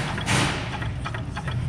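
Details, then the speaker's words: Cadillac CTS-V supercharged engine running with a quick, loose rattle chattering over it, the telltale sign of a worn supercharger isolator. Fix: solid isolator and bearings, smaller pulley, ported snout. "that sound, and that's your isolator going."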